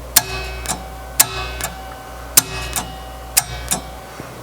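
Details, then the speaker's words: 1975 Gottlieb Soccer electromechanical pinball: holding the open tilt switch closed energizes the relay and solenoids, giving sharp mechanical clacks in pairs about every second over a low hum. "you hold that switch closed and it turns on the relay or on the solenoids hear it"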